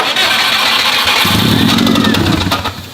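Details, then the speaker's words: Cheap used car with metal on the oil dipstick: engine catches and revs unevenly when given gas, ragged and stumbling with uneven pulses; owner suspects internal engine damage, unconfirmed. "I'm scared that we know this. That does not sound good. Now, why would such an honest, hard-working man lie to me about an engine?"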